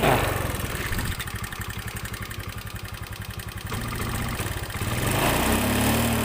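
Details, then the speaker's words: Honda Beat FI single-cylinder scooter that sputtered and died, suspected weak fuel pump; with the pump unplugged and fuel fed from a hand-pumped, pressurised IV bottle, it runs at a steady, even beat of about four a second, then picks up cleanly. "dan sekali lagi ini tidak menggunakan selvam kabel dalam kondisi pelepah dan tekanan bahan bakar disuplai oleh infus yang kita berikan tekanan udara melalui pompa tangan"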